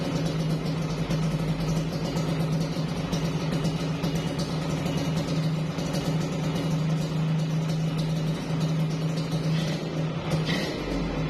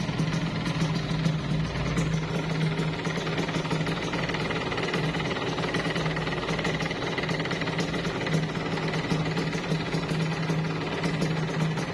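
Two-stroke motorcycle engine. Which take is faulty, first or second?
second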